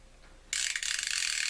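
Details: Fishing reel on the repair-prep checklist, drag sticky but working, spool release fine: silence, then crisp rapid high-pitched clicking that starts abruptly and runs evenly; the bait clicker works properly and can be switched off.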